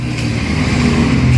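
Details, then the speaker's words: Kawasaki KLX150 fitted with a replacement PWK carburetor, tank off, engine revving. A light buzzing rattle from the carburetor slide rides over the exhaust beat; the needle clip sits too high and the carb piston is defective, so it lifts and vibrates. "Nah, ini bunyinya di sini. Ini bergetar. Bunyi ini bergetar."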